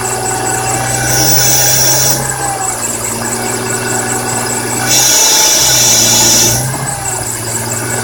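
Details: BMW E46 M3 engine running with a fast high chirp throughout and two harsh scraping, grinding bursts that rise with the revs.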